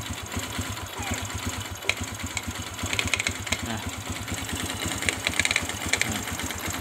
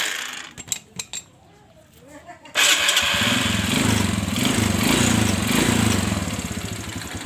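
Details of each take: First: Sharp, irregular crackling clicks over a steady single-cylinder idle on a Kaze R motorcycle appearing when the clutch is pulled to engage gear; cause not yet clear, possibly clutch bearing or plates. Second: Kawasaki Kaze R single-cylinder, which crackled when the clutch was engaged, after replacing the faulty clutch bearing: even steady idle while the clutch is worked, no crackle or grind; clutch now healthy.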